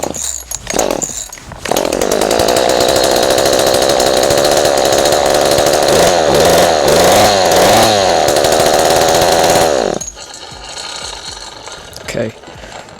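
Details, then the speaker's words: Ryobi 40cc two-stroke chainsaw after flooding, with fuel in the exhaust: catches and runs at a steady buzzing high idle with a brief rev. Started after hard starting; owner suspects the exhaust filled with fuel. "it starts. But I think uh the exhaust has been filled with fuel."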